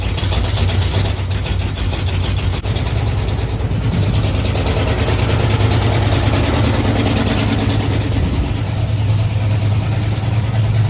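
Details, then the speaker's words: Jeep AMC 327 V8 at idle, just started in about 30-degree weather and warming up, after new exhaust manifold gaskets and flanges. Deep, quiet, steady burble with no manifold hiss, far quieter than before. An obvious engine knock is now audible. "of the Jeep running. It's definitely quiet. You can hear it now. It's way, way quieter."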